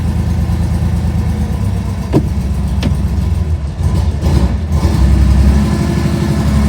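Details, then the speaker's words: 1970 Porsche 911T flat-six, first start after engine install: lumpy, loping idle, not firing on all cylinders; owner first blamed the exhaust. "up doesn't sound like all the cylinders but could just be this exhaust"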